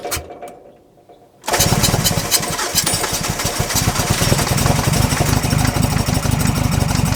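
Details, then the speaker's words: Neglected Nissan Frontier cranked after fuel dumped into intake (flooded): sputters, catching on two or three cylinders in uneven bursts but never running; spark present, owner suspects something stuck. "Well, that was definitely 2, maybe even 3 for a second there."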